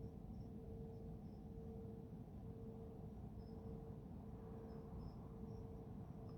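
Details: Heard at 3am from Careening Cove toward Garden Island Naval Base, Sydney, constant since early 2021, loudest at night: steady mid-pitched hum swelling and fading over deep rumble; mysterious pulsating low hum, source unknown.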